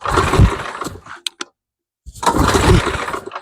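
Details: MTD Snowflight two-stage snowblower with a Tecumseh 8hp Snow-King engine, old fuel, cold, choke on, one prime: two short cranking bursts with a sputter that don't catch. It may be flooded, which is suspected, not confirmed; it starts shortly after.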